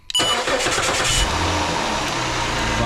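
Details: 2006 Chrysler 300 3.5 L, about 120,000 miles, previously no-crank no-start, cranked by jumping power to the starter fuse with key on: short crank, fires straight up and settles into steady idle; clean healthy start.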